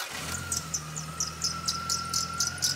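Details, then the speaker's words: Car engine at quiet idle with a loose accessory belt slipping on its pulleys: quick, high chirps about twice a second, unevenly spaced; belt chirp from loose belt. "here's some footage from a video I did not too long ago showing you exactly how you can pinpoint the belt noise that might be coming from your car's engine"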